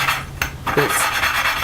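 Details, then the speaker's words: Honda GX120 valve lapping with head off after 30-40 seconds of lapping: soft, smooth rubbing strokes with hardly any gritty bite, grains broken up; lapping paste worn out, needs fresh paste. "not really doing much you can hear that all the little drains are sort of sort of broken up in small pieces and that's how you that's how i tell when you put more paste on"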